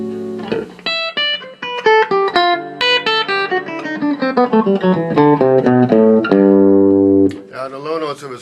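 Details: '63 Fender Vibroverb Reissue after replacing a punctured original Oxford speaker with a new Celestion: clean guitar notes and chords ring clearly, no rattle, buzz or fuzz; speaker sounds healthy.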